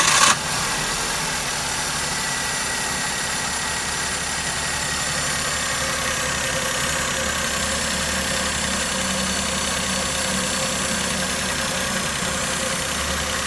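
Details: Maruti Suzuki K-series car engine with misfire complaint, mileage drop, pickup loss and vibration: steady idle with uneven, slightly lumpy beat like a cylinder occasionally missing; coil, spark plug or wiring harness suspected, not confirmed.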